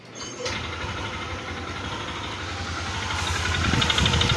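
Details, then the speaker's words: Yamaha NMAX V2 scooter, engine block already replaced elsewhere but still noisy, running with the CVT cover off. It makes a rough, uneven knocking of about three beats a second because the drive face teeth are stripped; the crankshaft is fine. "Ang ano ang masama yung dried face is tanggal yung mga ngipin. Buti itong segunyal okay pa yan. Yan yung ingay niya mga ka-ride."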